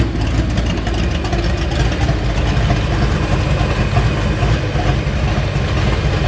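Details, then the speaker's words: 1989 Mustang GT V8, revived after sitting over 10 years, with the fuel system still to be replaced: a low, even burble holds a steady idle with no stumbles, ticks or knocks; oil pressure good, voltage still to be checked. "Oil pressure looks pretty good. Idle looks good. Gotta check on that voltage and we should be good."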